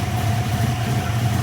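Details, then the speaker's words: Built V8 with Terminator X fuel injection, previously suspected lifter noise (lifters, cam and longer pushrods replaced), now a low, smooth, even idle burble with steady firing and no valvetrain clatter; car running fine. "Car's running fine."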